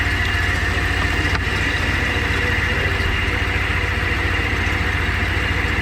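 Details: 2000 Ford Ranger pickup, cold day, before tensioner pulley replacement: even idle with a thin, steady high squeal over the engine note from the belt drive; tensioner pulley suspected, not confirmed.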